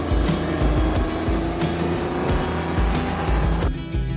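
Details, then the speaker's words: 1971 Datsun 240Z with junkyard Chevy turbocharged V6 swap, pulling away: deep even exhaust rumble pulsing steadily, no misses or rattles; healthy turbo V6 exhaust note. "oh that's a good sound that's like bacon for my ears"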